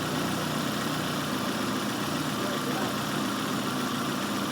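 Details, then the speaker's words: Engine idling at about 800–900 rpm on a vacuum gauge demo, then sagging and labored as atmospheric pressure is let into the intake. The simulated vacuum leak makes the idle struggle and keep dropping. "You hear it struggling? It's going down. It keeps going down. It's having trouble getting that oxygen in there."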